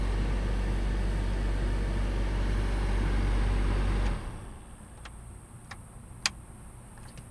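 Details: Chevrolet Cobalt SS A/C blower: speeds 1 and 2 give nothing, only top speed works; strong steady fan roar for about four seconds, then cuts to near silence; failed blower motor resistor.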